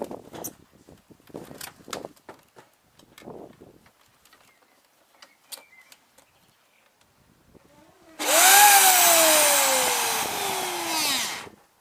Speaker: Hi guys, I've got this Flymo lawnmower and the motor's turning but the blade is not, so I'm guessing something's up with the belt.